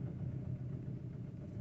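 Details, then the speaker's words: 2015 Audi A6 TDI diesel, parked 3 years with blocked DPF, first start after codes cleared: low uneven shaky lumpy idle; misfire. "okay to start it up a little bit shaky sounds like it's got a misfire"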